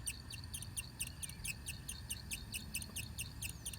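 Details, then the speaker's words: 2010 Mazdaspeed3 on a cold, rainy day: light, high chirp about twice a second as the secondary radiator fan slowly turns with its switch off; owner suspects it is drawing current, since it killed the battery. "the fan gradually spinning and I think it was drawing current somehow so I need to look at that real quick it's wired to a switch to turn on but it killed the battery so I think it's drawing current"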